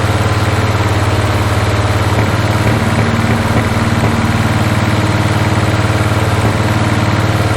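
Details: 1981 Toyota Hilux RN46 4x4 with 18R-C engine, freshly rescued, running off a hand-held fuel can: loud lumpy idle near four pulses a second with odd backfire pops, apparently all cylinders firing; owner guesses timing slightly out.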